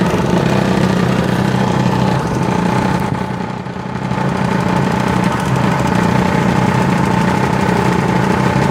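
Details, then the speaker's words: Century ½ hp repulsion-start induction motor (c.1903) with 1905 Schantz organ blower: loud steady hum, thin whine and rough rattle; motor runs well, noise from the blower, baffles bouncing, maybe its outboard bearing, suspected not confirmed. "what's making all the noise is the blower unit there are some baffles in here in the bouncing around maybe on the outboard bearing"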